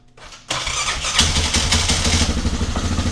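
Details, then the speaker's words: Yamaha Grizzly 600 ATV (about 1998–2001) starting on battery: harsh metallic clatter over cranking, then the single fires and idles unevenly; owner suspects a noisy Bendix-type starter drive, not confirmed. "That crazy noise is the starter. It's like a Bendix drive probably like on a uh on a uh Polaris. That's what it kind of sounds like."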